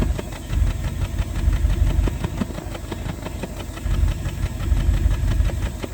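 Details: 1988 Bentley Eight V8 at idle, recorded at the tailpipe with a hand near its end: deep lumpy exhaust with uneven pops about three a second. Suspected misfire in one or more cylinders.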